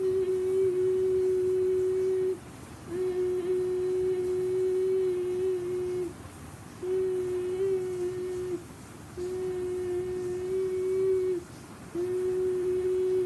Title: Very dangerous can you give ceiling fan making noise